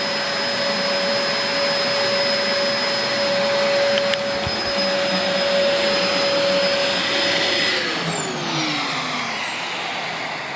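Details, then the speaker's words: 17-year-old Dyson DC04 Limited Edition upright vacuum after a big-mess pickup test: steady motor whine with a breathy hiss of air drawn in, then the motor winds down; the cyclone shroud is clogged, starving airflow. "I can cite that there is a small amount of air being drawn in through this vowel via because I can hear it hissing"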